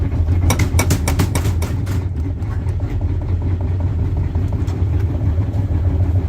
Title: Стиралка стучит